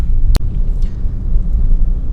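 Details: Manual car in third gear at around 1000–2000 rpm, light throttle: smooth low engine drone, no knocking or pinging, even rumble; engine pulling healthily at low revs.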